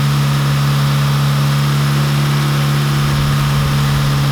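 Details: Honda Accord, 9th generation, warm idle during a coolant drain and refill after the thermostat opened: steady, smooth idle with an even low hum and no knocks or misses.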